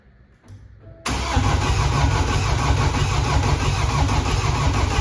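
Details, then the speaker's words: Flood-damaged BMW F20, no scan tool to prime the fuel system, so injector ports are opened in steps. Heavy steady cranking at about three turns a second for four seconds with no firing, fuel not primed. Crank, no start. "I don't have uh anything to Prime the fuel system so we have to do it on steps I have to open the injector ports a few times until it will start so let's do that"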